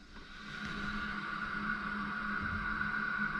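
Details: 2-pipe fan coil unit not heating, after the stuck-open valve was freed and the actuator remounted, stem pushed down by hand: soft steady rushing hiss rises as the valve opens, even flow, no banging; valve passing water normally.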